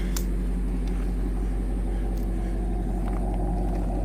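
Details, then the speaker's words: Chevy Caprice 4.3 after tune-up work: low, steady, smooth idle rumble with no backfiring or exhaust leak puffing; the engine runs near factory condition, and the transmission still needs work. "Can't even hear it running no more. Look at that. Not at front anyway. You don't hear the engine like that. No more backfiring."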